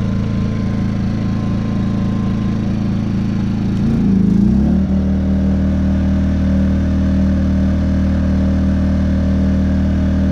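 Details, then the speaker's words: Predator 2000 watt inverter generator after repair, previously whistling and running bad: engine catches, hunts briefly, then settles into a smooth, even drone on eco throttle with no misses or surging; normal running. "Now let's fire her up. What do you say? There you go. Eco throttle. Sounds beautiful."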